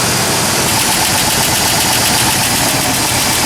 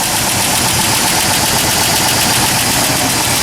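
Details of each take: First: 1997 Ford F150 4.2 L engine at cold idle around 30°F, two days after adding Marvel Mystery Oil for a lifter tick worse in cold; steady, even idle with no audible lifter tick: normal cold idle. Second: 1997 Ford F150 4.2L at cold start, about 35°F: quick light ticking about four per second, worse the colder it is. A lifter is suspected; recorded before adding Marvel Mystery Oil.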